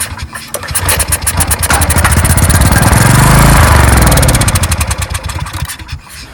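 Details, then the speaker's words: 14-year-old Briggs & Stratton generator sitting 5+ years, old fuel drained, choked with carb cleaner: small engine catches and runs fast a few seconds then winds down and stops; fuel delivery problem, possibly bad fuel, gummed line or fuel valve. "so what this tells me is it's a fuel delivery issue so now it's time to start playing around and trying things"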